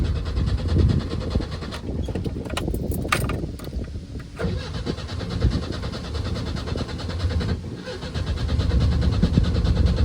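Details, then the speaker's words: Car nicknamed Benny, with the fuel pump priming, cranking with occasional weak pops but never catching. A loose ground wire was later found as a possible cause. "well it sounds like it's trying to fire we'll have to uh have to investigate and figure that out"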